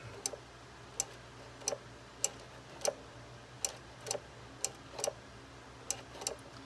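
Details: Nitrous Express GM universal kit on a Jeep Liberty: crisp, light clicks about one every half second with nothing running. The throttle micro switch, its arm curled so it engages at wide-open throttle, clicks in and out normally.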